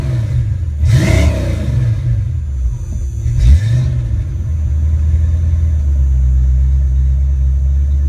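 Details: Rebuilt, tested Ford Mustang A9L mass air PCM: the engine settles to closed loop at about 800-900 rpm, then is revved and held to check for breakup or engine lights. Two clean rev-ups without stumbling, then a steady, even idle. Normal.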